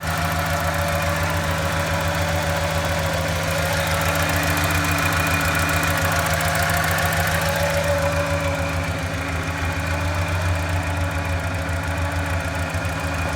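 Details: 1989 Ford Bronco II 2.9L V6, manual, just tuned up (plugs, wires, cap, rotor): a loping idle stumble, three or four times a second, from cylinder 4 (front left) not firing. Owner suspects an intake manifold leak; no head-gasket signs.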